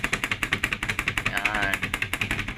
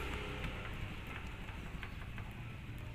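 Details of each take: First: Mitsubishi L300 van on rough, bumpy road: fast, sharp rattling about ten knocks a second from the loose sliding door/window, whose side and top fittings are worn away so it moves over bumps. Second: L300 van sliding door after adding new parts to stop its loud noise: low steady rumble with only faint soft taps; the door still shakes but no longer rattles.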